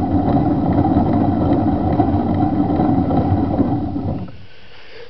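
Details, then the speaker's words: 1986 Honda Spree scooter engine, belt and rear clutch removed, exhaust quiet, piston and cylinder fine: loud, rough internal mechanical clatter until shutoff. Owner suspects crankshaft bearings, probably not the oil pump drive. "and uh what I'm wondering is if it's the uh the crankshaft bearings uh making that noise"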